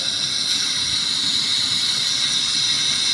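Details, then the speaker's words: Fisher DVC6200 positioner stroked with an Emerson Trex HART communicator: a constant high-pitched air hiss that grows as the input steps 0 to 25%. At 75% and 100% input, travel reads only 50.4%. Slow valve travel indicates a problem. "we can hear the noise coming out from this meaning um the valve is fully what closed now you go to 25 you can also hear the noise increasing"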